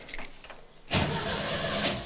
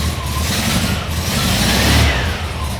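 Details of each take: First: VW Kombi during restoration, first start test after dash install and rewiring with fuel pump connected: brief quiet cranking, then a rough burst as it catches but it never settles into idle; owner suspects a wiring error. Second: VW Kombi air-cooled flat-four during restoration, first start after dash rewiring with no throttle fitted: catches and runs with steady clatter, takes throttle blips cleanly, generator light went out; normal running.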